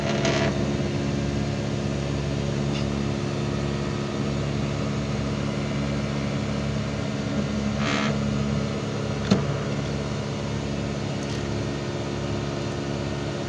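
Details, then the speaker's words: Panasonic 1.5-ton inverter AC outdoor unit after tightening screws left loose at installation: steady low hum with constant tones and smooth fan whoosh, no rattle or buzz; noise about 90% reduced, running normally, though unit still dirty and needs servicing. "এতিয়া আপোনালোকে চাউণ্ডটো শুনিব পাইছে। 90% sound কম হৈ গৈছে।"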